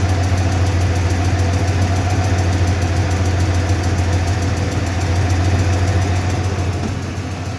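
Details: 1995 Ford F-150 5.0L V8 at idle: light, quick ticking three or four times a second over a steady low idle, seemingly from the driver's side of the engine. Source still unknown.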